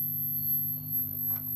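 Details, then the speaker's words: 1967 Geloso G1020 15W amp with solid-state rectifier, after adding pre-phase-inverter master volume: thin steady high-pitched whistle over low mains hum at high gain, no playing; oscillation, owner suspects a faulty capacitor leaking to ground, not confirmed. "originally in the circuit like that it gave me even more squealing so I think that I concluded that there must have been some path to ground through a faulty capacitor"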